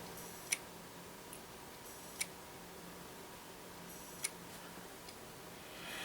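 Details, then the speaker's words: Laptop with Intel Centrino, likely Core 2 Duo, powered up after about 10 years in hibernation: sharp single clicks about every two seconds, no spin-up whir; hard drive suspected not spinning up, possibly failing. "we might have a dead hard driving this one so that noise might in fact be the hard"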